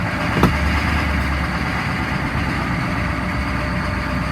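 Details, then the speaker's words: 2002 Chevy 3500 utility truck, 6.5 L diesel, 89,150 miles, sat nearly a year, running 5-10 minutes after jump start: deep heavy rumble, loud and constant while driving slowly; running a little rough, cause not known. "Sounds really loud, but it is running and driving."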